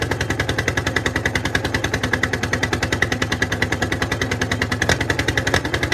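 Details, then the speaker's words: 1951 Caterpillar D8 2U dozer, sitting since 1990, big diesel freed after being stuck, first run on its own power: sharp, even firing pulses at roughly three and a half a second. Running steadily. "all right that's the first start since they're pretty sure it's been like 1990 was the last time it runs so that was a major achievement there to get it running on its own power"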